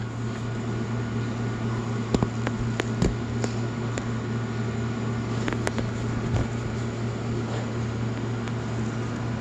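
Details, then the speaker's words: Marathon motor driving a newly replaced rotary vane pump on a reverse osmosis system: steady low mains-pitch hum with a few faint clicks when switched on; motor humming, problem persists after rewiring, cause unknown. "i took a video record of everything and still making a humming noise"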